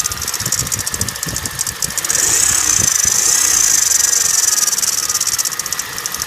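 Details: 2009 Kia Cerato engine at idle: crisp, rapid metallic knocking, about four beats a second, keeping time with the idle; engine knock, source not identified.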